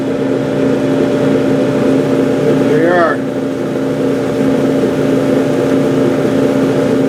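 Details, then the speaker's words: Gas clothes dryer: drum motor hum, coils clunk open once the igniter glows hot, burner lights with a whoosh and settles to an even roar; normal operation. "Hot enough, you'll hear these things clunk. Let the gas through."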